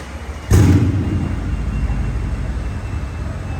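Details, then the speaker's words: Mercedes CLS63 AMG after engine rebuild and misfire repair with spark plug and ignition coil refitted: catches at once and settles into smooth, deep, even idle with no stumble; perfect idle, though engine light on and coolant leak present. "but look at the idle that is perfect look at that that's what you call a smooth engine"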